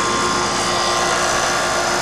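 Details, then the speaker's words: York fixed-orifice heat pump after being recharged from dangerously low refrigerant (3 lb 6 oz added): a steady, even fan rush with a smooth compressor hum and no rattles or surging. The unit now runs properly. "Hopefully you can hear the way this thing sounds now. Sounds a lot different. Sounds like it's actually working."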